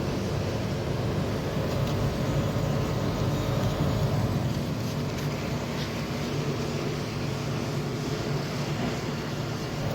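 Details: Samsung 18000 BTU R22 home air conditioner condenser unit, being repaired for weak cooling and a noisy condenser fan motor, running at about 6.5–7.3 amps: steady, even hum from compressor and fan with low drone, no knocks or rattles; probably running normally.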